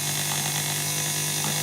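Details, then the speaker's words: Miller 180K welder field current regulator board after repair, driving a motor at about 1.3–1.6 A: steady clean hum with no grinding; current drops sharply when the motor stalls and takes more to restart; board judged working. "see like when the motor stalls the current dramatically drops off and it takes a fair bit more to it to get it going again"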